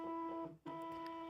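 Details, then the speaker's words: Nintendo Switch Splatoon 2 Pro Controller bought used, HD rumble test: buzzing hum cuts out and returns in separate pulses instead of the continuous rumble of genuine controllers, suggesting a fake without genuine HD rumble; suspected, not confirmed. "you can immediately hear the difference. There's a pause in between each rumble, which is not on the original Pro controllers."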